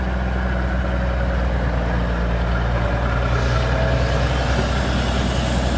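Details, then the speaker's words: Kenworth twin-steer truck diesel: steady even idle sitting noticeably fast without dropping back; revs held up because the PT fuel pump shaft is a bit tight. "you can hear the revs are right up the the Sha's a bit tight in the in the PT fuel pump"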